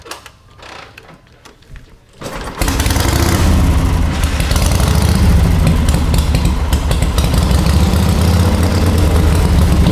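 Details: Warm, ridden 1939 Harley-Davidson EL Knucklehead V-twin, about 12–14,000 miles since restoration, spark retarded, idle lowered, pipes covered: steady deep even thump, no gear or pushrod noise; idles cleanly.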